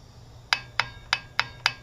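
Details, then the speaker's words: Fifteen-year-old cheap Skil circular saw, unplugged, blade rocked by hand: six sharp bright clicks about three per second between two blade positions about 1 mm apart; whole nut and bolt shift, owner suspects rotor bearing. "And you hear that clicking? That's 2 different positions of the blade, and they differ when the blade's not bending at all by about 1 millimeter."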